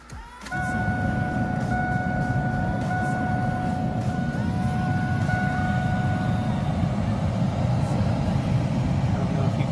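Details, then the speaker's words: Chevrolet Camaro A/C blower motor after replacement with a new aftermarket unit: a steady, strong, quiet rush of air over the idling engine, with no more freight-train buzzing or rattle. "That, but it's not that freight train buzzing anymore. Blowing really where the microphone is, maybe you can hear that on the microphone, but blowing really good and strong and very quiet."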